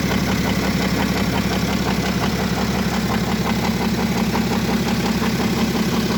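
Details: BMW F07 535d xDrive GT diesel with engine damage: steady, fairly regular metallic clatter at idle, about two knocks a second, riding over the running note; internal engine rattle, source unknown.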